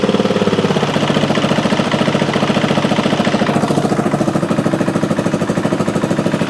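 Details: 2003 Honda XR400 brought in not running, after valve clearance and cam timing checks, started after 365 kicks with idle turned down: quick, even thumping beat, steady rhythm, no ticking or knocking; runs well, normal idle.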